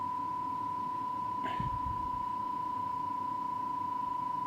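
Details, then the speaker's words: Cassette deck playing a 1 kHz test tape against a Rohde & Schwarz reference: steady tone with a slow pulsing beat moving further away, left channel going low-frequency; tape speed incorrect, being adjusted by ear to zero beat. "there's a one kilohertz turn and a like a warble in the background that's moving further and further away you can hear the left hand going low-frequency"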